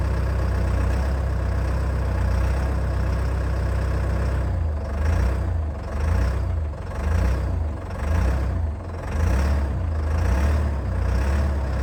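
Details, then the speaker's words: Old CAT excavator diesel just started after months idle, cold day, very little runtime: deep low rumble at very low revs with slow gentle pulsing; normal cold idle, judged healthy by CAT-familiar mechanics. "the revs are incredibly low i've sent the video to a few guys who are familiar with cats and they've had a look at it and they're happy with the way it sounds"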